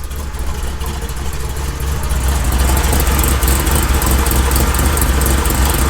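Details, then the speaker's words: 1972 Chevy K20 on 38s with 6-inch lift, built 510 big-block V8 in the truck about 11 years: deep uneven lumpy idle around two beats a second, chopping hard over heavy low rumble; healthy big-cam idle. "this thing sounds mean it chops really hard it's a 5-10 big-block it's pretty much a built motor"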